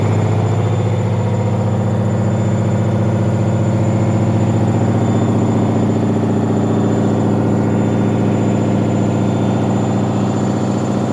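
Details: Leran washing machine on spin: steady deep hum with a regular thump about three to four times a second. Drum knocking from an unbalanced load; fix is tumbling the laundry briefly to redistribute it.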